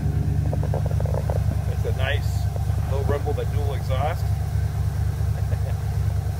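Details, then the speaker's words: 1990 Ford Bronco, lifted, 351 V8, dual exhaust, about 30 years old, just started: deep, even low rumble at idle with a steady beat, no knocks or misses; runs pretty good. "As you can tell, it runs pretty good."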